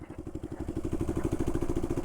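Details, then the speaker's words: Bike fitted with a Predator 212 engine, while riding slow manoeuvres: heavy lumpy thumping about eleven beats a second with rattle each beat, severe shaking and power loss; rider suspects a blown valve, description blames a blown clutch. "Oh, this thing's running horribly. Why is it doing that? No. It's shaking like crazy now. Is that just my seat? No. It's making some kind of funky noise. I'm losing power."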